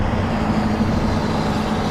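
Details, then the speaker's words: Truck's PTO-driven product pump pulling vacuum before pumping off beet heat, with the bleeder valve open and the truck engine running underneath. A steady, even pump roar with no knocking. Strong vacuum; the pump is drawing properly. "And we're listening for vacuum. We've got the bleeder valve open, and obviously you can hear that there's really good vacuum on there."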